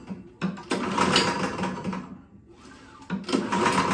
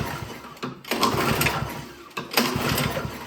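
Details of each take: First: Toro Power Clear single-stage snowblower that backfired loudly on pull start, pulled over slowly with key out: loose rattling clatter inside with every pull, suspected loose piston or internal part; oil level fine with no metal seen. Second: Toro Power Clear single-stage snowblower that backfired and won't start, being pulled over to check compression; the oil was very low and was topped up. Slow, uneven pull with a steady chuff each stroke and no scraping: compression sounds healthy.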